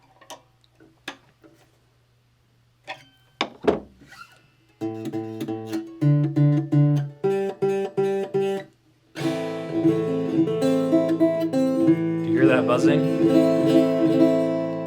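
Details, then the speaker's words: Strummed guitar chords with sharp metallic fret buzz after the truss rod was adjusted to leave almost no bow; neck flat or back-bowed, too little relief. "get the string get the bow to be very minimal and probably even even low enough that it might cause buzzing and we'll just see yeah do you hear that [Music] there's a little bit of buzzing you hear"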